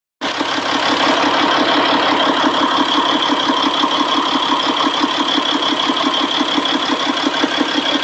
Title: c15 rough idle